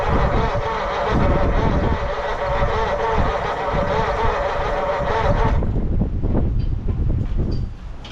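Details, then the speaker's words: 1940 Mercury Eight flathead V8, stored since the 1970s: slow rhythmic cranking with a brief catch then dies; spark confirmed, at least one valve not sealing, owner plans compression test and pulling heads. "I think we're going to pull on the heads for sure. Oh, she's a no-go. Definitely have spark."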